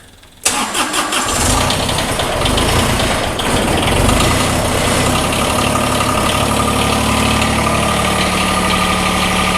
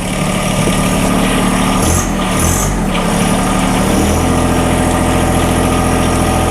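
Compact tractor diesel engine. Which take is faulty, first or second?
first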